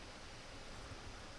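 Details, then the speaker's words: Dell Alienware M16 R1 laptop, which also charges slowly, sitting idle in BIOS with no load: fans spin at full speed with steady loud rushing airflow as it overheats; owner thinks something else beyond the charging issue is wrong. "it's spinning the fans like crazy it's not supposed to be heating up in BIOS like this so something else is wrong"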